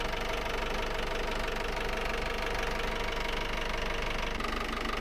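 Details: Volvo Penta AD31 marine diesel, port engine on Fairline Targa 28, after raw water pump seal rebuild: small diesel clatters along at steady, even idle with regular beat, no stumbling; normal running.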